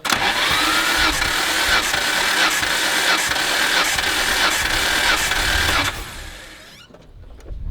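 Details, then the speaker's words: 1989 Nissan R32 GT-R RB26 engine compression test, plugs removed: starter cranks at an even four beats a second with a steady regular chuff each stroke; cylinders read 161 and 162, healthy compression across the board. "161 162 we got another good cylinder"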